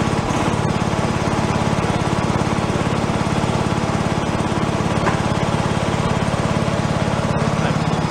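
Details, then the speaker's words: Free John Deere lawn tractor revived, running on choke as fuel comes up: small engine with steady, even thump holding speed without hunting or misfire; normal running. "yeah that's more like it now I'll probably apartment anyway just so pushes its way through now should stay running once the fuel goes up all the way up his choke"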